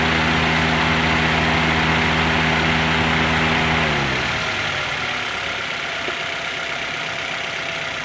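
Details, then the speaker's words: Toyota Avanza/Daihatsu Xenia after radiator extra fan motor repair (new carbon brushes, lubricated), engine running: steady even rush of air over idle with no rattle or scrape; cooling fan running normally again. "Tolong hidupkan adanya mesin sudah hidup dan ini kita mau check kekerapan ataupun motor fan radiator ini apakah sudah berfungsi normal kembali atau belum"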